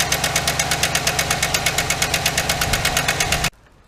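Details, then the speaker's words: 2008 GMC Sierra 1500 5.3 LS V8 at idle with coil packs zip-tied aside and rockers exposed: sharp, regular ticking about eight times a second until shutdown; a bad, likely collapsed and stuck AFM lifter is not putting enough pressure on the rocker arm. "Alright, so we see that one of the lifters is bad. Which means there's not enough pressure put on the rocker arm."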